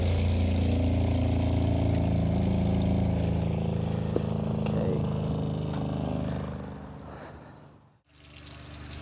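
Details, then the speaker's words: Newly replaced travel trailer RV water pump, unmounted, first test run: steady low hum with fast even pulse about four times a second, then winds down and stops; pump working normally. "There we go. All right, we hear the pump is working."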